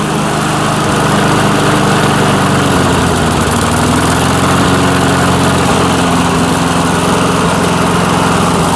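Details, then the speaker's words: 1996 Murray 22-inch push mower, single-cylinder, revived after 10 years dormant, running in a cold Michigan shop: steady, even drone at constant speed, no misses, knocks or surging; runs normally. "Well, it it rattles up okay pretty good. Doesn't sound bad. We'll see if that snow clears out of it a little bit. She don't sound too bad."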